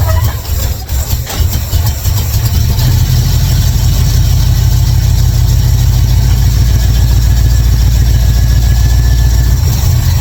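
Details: 1955 Chevrolet Bel Air with ignition bypassed and carburetor issues fixed, a little gas poured in to help: starter churns briefly, then the engine catches and settles into a steady, deep, even idle.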